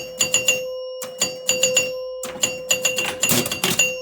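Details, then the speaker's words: 1977 Gottlieb Jacks Open electro-mechanical pinball: rollover targets worth extra points, bell chimes ring in quick repeated groups, one strike per scoring unit, each clean; normal score chimes. "So for example, if I get 3 of these down, any 3, I get 5,000 for each of them, and now each of these is not only worth the original 1,000, but 3,000 more, so 4,000. And now you hear it chiming that number of"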